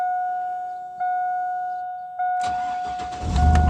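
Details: 2000 Chevy Silverado 5.3L after bypassing a faulty aftermarket alarm that prevented starting: a steady chime, a short crank, then the engine catches cleanly and settles into an even idle with no stumbling. Normal start.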